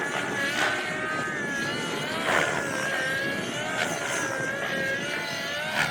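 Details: XLPower Nimbus Nitro helicopter with O.S. .55 HZ Hyper engine on its first flights: steady high rotor whir with an uneven throb about every 1.5 seconds; the rotor head is loose, likely from a backed-out main spindle screw, and the blades then flew off.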